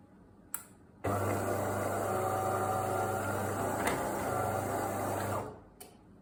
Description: When the machine draws milk or when flushing the milk tank, the machine suddenly makes such strange noises. What could be the reason for this?